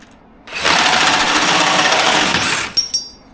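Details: New small battery drill replacing one that broke: spins up quickly to a steady high buzz for about two seconds and winds down evenly; motor runs normally.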